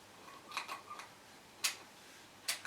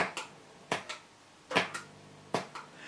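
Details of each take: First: Circa-2004 Mesa Boogie Triple Rectifier Solo head: a few single crisp relay clicks, one per channel switch, with no rapid chatter; normal relay channel switching. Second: Mesa Boogie Triple Rectifier amp switching channels: sharp, irregular pops in pairs about once a second in a quiet room; channel switching pop.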